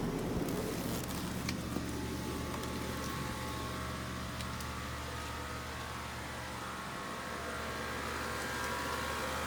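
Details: 2013 BMW X5: steady mid-pitched hum or buzz under the hood over a smooth idle whenever the A/C or heat blower runs; source still unidentified.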